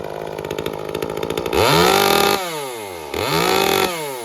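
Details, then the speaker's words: Echo CS-355 chainsaw after fixing its no-start and no-WOT faults and tuning the carburetor (it arrives rich from the factory; the top end could still be a bit leaner): idles steadily, then snaps cleanly to wide open throttle and back; normal. "and believe it or not I think it's could still be a little bit leaner on the top end but uh I think that's a good safe tuning setting for it for longevity and everything else"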